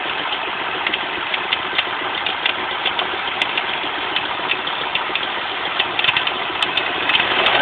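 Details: Volvo 850 idling: faint, irregular light ticks and chirps over a thin hissy background from the belt drive; owner suspects a bad idler pulley.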